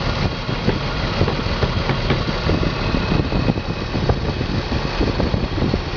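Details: BMW 325 M54 every-morning cold start: uneven shaky idle like cylinders dropping out, misfire codes on cylinders 3 and 5, sometimes 4; CCV, plugs, coils, fuel filter replaced, injectors cleaned; ceases once warm, cause unknown.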